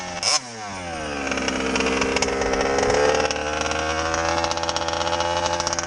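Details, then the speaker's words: MCD XR5 ALX 48cc two-stroke revs up raspy and uneven, the beat breaking up and dropping out; missing quite badly, cause unknown, clutch also failing. "It's missing. Missing quite bad. Every time I reckon, B. Oh, she started missing again."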